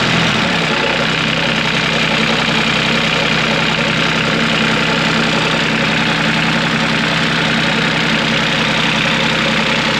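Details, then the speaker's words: Cat 302.5 mini excavator diesel after repair: fires after a second and settles into a steady even idle, substantially quieter than before with no loose bolt-like rattling or metallic clatter; healthy. "than it otherwise would have but it's uh it's substantially quieter now and we're gonna start it up in a few minutes here and uh you'll hear it it's it's quieter it also doesn't sound like a bag of bolts is rattling around it"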